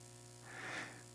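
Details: Parts Express 240-398 XLR-to-quarter-inch line matching transformer used as mic input: steady low mains buzz with a ladder of higher overtones, hum pickup from the unshielded cable.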